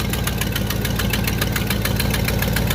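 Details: 1969 Buick GS 350 V8 warming up after a fuel filter change, oil pressure low: sharp, even ticking about six times a second over a steady idle, an exhaust leak at cylinder eight.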